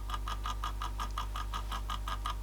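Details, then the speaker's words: Copal GC1 1239 motor in Copal Shahan RD-100 flip clock, before lubrication: loud steady buzz with rapid even clatter about five times a second; runs but very noisy. "very noisy in fact so maybe it was just noisy this one usually they seize up and that's the end of them they just don't run"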